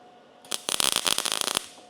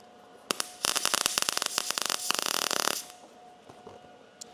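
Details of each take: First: MIG welding 18-gauge sheet metal at about 17.5 volts: short bead crackles with sharp pops, still popping a little as voltage is slightly low; welder then raises it to 19. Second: MIG welding 18-gauge sheet metal practice piece after raising heat setting: about two and a half seconds of fast, even crackle over a faint machine hum, much better but still popping a little; voltage then raised to 19.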